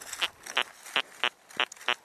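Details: XP ORX metal detector, searching a field: six short, even, low-pitched grunting tones about three per second, its normal response to a solid iron target.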